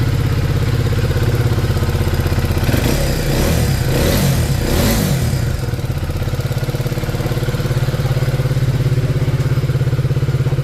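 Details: KTM Duke 250 at idle, blipped briefly: loose metallic clatter over the firing beat from heavily worn tappet shims and a quite loose timing chain; bike also smokes; valve, piston and tappet suspected before teardown.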